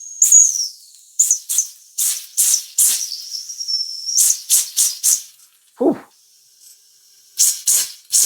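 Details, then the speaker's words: Mamod model steam roller, not run in decades, first firing after a clean and oil: after the whistle is knocked, a thin high whistle keeps sounding between sharp hissing steam puffs; the whistle valve is stuck open. "We seem to have a permanent whistle, right?"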